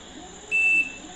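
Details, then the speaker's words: LG inverter double-door fridge (above 300 L, LG BMG inverter compressor), after compressor IPM change on the PCB for a 6-blink fault, instant start: one sharp high beep, one of three buzzer beeps before the compressor starts. "3 தடவை buzzer வந்ததுக்கப்புறம் compressor start ஆகும்."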